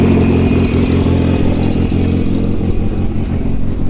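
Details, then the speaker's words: VW Routan van, first start after harness repair and a charged battery, once a locked starter was freed: loud, uneven idle with a ragged, irregular low pulse; owner suspects the timing is off, and a giant oil leak was then spotted. "All right, I got it started. It's pretty loud, as I'm sure you can hear."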